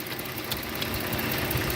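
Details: Police-auction 2010 Dodge Challenger, base 3.5 V6, possibly sat a long time, coolant slightly low, no major leaks: steady, even idle with a smooth low rumble, no knocks or misses. Normal idle.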